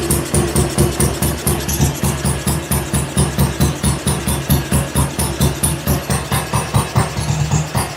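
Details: BSA Gold Star single cylinder on first start, cold garage, choke on, oil pump circulating: slow evenly spaced thumps, roughly three to four a second, steady with no skips, normal idle.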